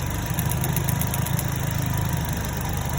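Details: 2010 Chevrolet Cobalt 2.2 after repair: missing ground fixed at the starter relay and MAF sensor (P0102), bad cylinder 3 coil replaced. Smooth, even low idle with a steady beat and no stumbles or skipped firing; runs clean with no misfire.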